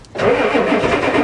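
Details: Diesel Ford truck with new glow plug controller that doesn't click: starter churns engine over in uneven pulses with a brief fire, but it never catches and runs on its own.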